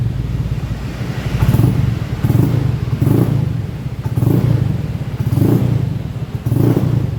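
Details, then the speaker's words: Honda Beat FI scooter on its centre stand before repair, hesitating when ridden up to 40 km/h: the engine surges in uneven blips about once a second instead of idling steadily. Rough running; the customer suspected the TPS sensor and fuel pump filter. "Jadi yang dikeluhkan konsumen nya sampai 40 km/h itu susah ketika jalan dan ketika ber ketika seperti ini pun standar tengah ini memang agak berebet."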